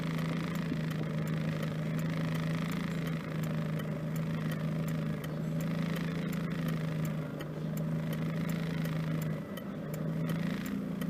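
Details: 1992 Mitsubishi Lancer GTi petrol at normal operating temperature after cold start, newly installed MAF sensor, rough idle and power loss fixed: smooth even idle with faint regular light ticking.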